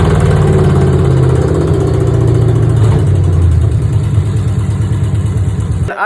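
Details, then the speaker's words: V8 car after fitting new long-tube headers replacing old rusted ones: deep, lumpy burble holding steady with even exhaust pulses and no clear knock; runs way healthier, owner suspects a driver-side cap had been clogging. "Um, the car feels and sounds like it's running way healthier."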